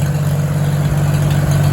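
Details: 1949 Farmall H, back to running well after tune-up to stop it cutting out, at a steady, even idle with no misses, knocks or surging; only a small drip at the fuel bowl noted. Normal idle.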